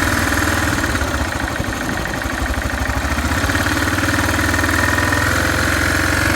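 Uneven cold idle thump near four per second with light tapping and clatter riding on it; noisy engine, source not pinned down.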